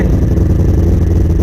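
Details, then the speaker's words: 2000 Honda CBR600 after the leaking carb intake boots were replaced (two middle boots, side pieces cut from hose): steady, even idle near 1000 rpm with a smooth burble and no hunting, throttle response back; normal idle. "throttle response is back never been able to rev it up the past four or five"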